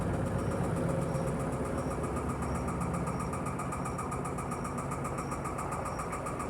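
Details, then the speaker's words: Electrolux Perfect Wash 16kg (LP16) washer spinning at 630 rpm with sneakers inside: steady hum with a regular thump a bit over once a second as the machine shakes loudly. The feet may be unlevel; cause unclear. "simplesmente essa máquina tava balançando aqui"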